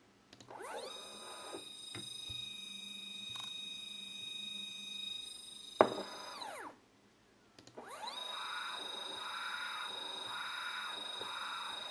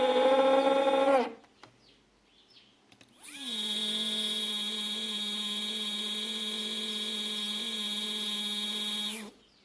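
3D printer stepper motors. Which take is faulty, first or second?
second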